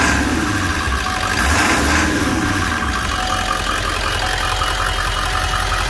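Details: 2002 Ford 7.3 Powerstroke diesel in a van, 177,981 miles, at normal idle after startup: a steady diesel clatter with an even, settled rhythm and no knocks or misfires.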